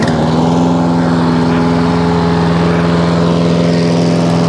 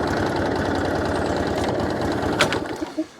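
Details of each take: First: Hayter 56 Pro mower after carb clean, new governor spring (old one missing) and new air filter, arm adjusted: settles into steady, even governed-speed drone, no hunting or surging; running properly. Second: Hayter 56 Pro mower whose oil suggests it was tipped or overfilled: on full throttle and choke it plods at a low, lumpy beat, never reaches full speed, then shuts off; underspeeding.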